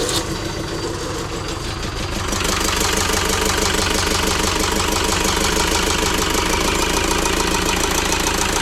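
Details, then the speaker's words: ~2006 JCB 180T compact track loader diesel running rough after swapping a suspect injector: lumpy, uneven idle with a rhythmic shake, like a cylinder down; the problem did not follow the injector, so compression in that cylinder is tested next. "oh so unfortunately the problem did not follow the injector so at this point we're going to go ahead and test the compression in that cylinder"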